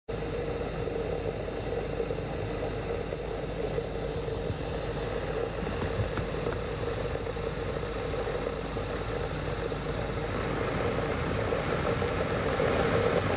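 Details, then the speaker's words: 2011 Acura RDX blower motor: fan rush with a thin high whine rising in pitch with fan speed; suspected worn front blower motor bearing clogged with brush dust, not confirmed, blower being replaced. "noisy blower motor for a 2011 Acura RDX so that fan doesn't sound right"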